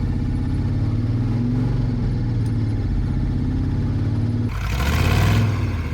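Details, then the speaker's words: Broken monster truck with seized drop box, broken transmission and wrecked drive shaft, revved against a bind: deep engine drone surges and strains, sounding really bad; drop box and transmission both suspected broken, exact driveline part unconfirmed. "Well, that can't be the drop box. That's transmission and drop box is broken. That sounded really bad. That sounds really nasty."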